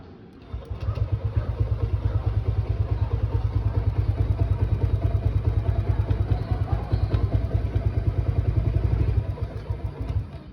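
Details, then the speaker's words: Small motorcycle engine, which had kept shutting off and refusing to start, now restarted and running after a DIY spark plug job; it idles with a steady low thump, about two beats a second. "Ayan guys, ini-start ko uli. Gumaana siya. An mandar no. Okay yung ginawa natin."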